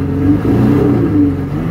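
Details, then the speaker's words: Pontiac Aztek AWD, cold start on possibly old gas: engine revs unevenly, pitch wavering and stumbling; running rough, owner suspects stale fuel. "doesn't sound happy about that foreign who knows how old that gas is"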